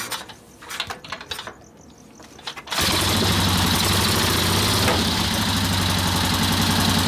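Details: 1964 Harley-Davidson XL 900 Ironhead Sportster with magneto ignition, just started: lopsided, evenly spaced thumping at about 214 a minute; runs on only one cylinder, the front cylinder has no compression.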